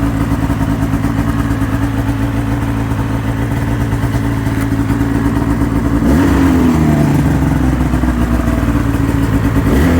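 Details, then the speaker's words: 2005 Ski-Doo MX-Z Renegade 600 H.O. SDI two-stroke, hard-start fix part 2, warm after five minutes at about 2100 rpm, dropped to about 1700: steady, slightly burbly idle with a blip around six seconds; idling normally. "okay just kicked down five minutes of idling at the higher RPM and let's kick down a little bit here to 1700 or so was idling up around 2100"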